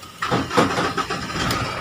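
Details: 2011 Mahindra Scorpio EX after key programming with Launch scanner fixed a cranking-but-no-start with blinking engine light: short crank, then the engine catches cleanly and settles into a steady, even idle; normal start.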